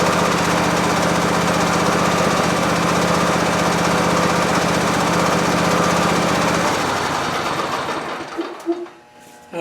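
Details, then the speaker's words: Briggs V-twin on Husqvarna lawn tractor after governor gear and mechanism repair (previously raced wildly regardless of throttle): steady, even mid-pitched note holding constant speed without surging, then shutdown; throttle control restored, normal governed running. "That sounds pretty good. It's a lot better. It's not racing wild as if it's going to self-destruct. We have throttle control again."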